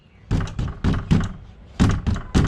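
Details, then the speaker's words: Tata Sumo Gold door rattle when the door is closed, driving or engine running: hollow thuds in uneven groups with a loose knocking tail from wiring connectors slapping inside the door panel. "जब दरवाजा बंद करते हैं गाड़ी चलती है engine का addition होता तो यह खड़ा की आवाज़ आती है"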